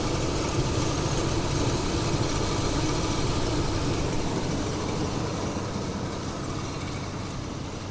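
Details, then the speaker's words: 1998 Chevy S10 with the 4.3 V6, idling after a slightly long crank: a steady, even low rumble with smooth firing and no misses or knocks. It runs fine, though the owner thinks a new cap, rotor and spark plugs might help. "But it does seem to run pretty good. Might benefit from maybe a new cap and rotor. Maybe some spark plugs or something."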